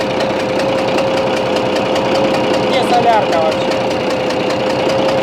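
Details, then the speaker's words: Bizon A-01 engine idling with quick regular knocks and a faint whistle; the noise changes when the No. 3 high-pressure fuel line is loosened; owner suspects the third injector or cylinder and plans to remove the head. "привет всем ребята не хорошая штука случилось с нашим бизоном в частности своего мотором появился какой-то подозрительный шум то ли фырканье то ли непонятно что"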